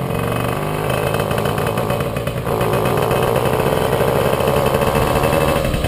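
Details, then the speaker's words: Puch Maxi moped "Jägermeister", 2 HP two-stroke, before repair. Revving, it breaks up with a brief dip and uneven stutter, then picks up again. Ignition misfire, not the carburettor: the NGK plug cap has a loose contact and a broken pin. "auf jeden Fall war das Problem dass bei meiner 2 HP der Motor extrem gestottert hat ich hatte zünderaussetz es hatte nichts mit dem Gaser zu tun"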